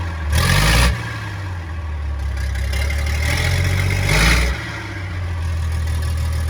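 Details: Converted double-decker bus, warm diesel restarted after original starter motor was repaired: two short bursts of strong cranking, catches and settles into steady low run; starter healthy, plunging and returning better than before.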